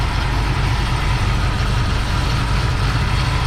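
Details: 2017 Chevy SS V8, idling while coolant is bled after a cooling-system repair following a track incident (not a head gasket): deep, even rumble with no misses, ticks or knocks. Temperature is climbing toward 181, with burning smell but no leaks. Healthy idle.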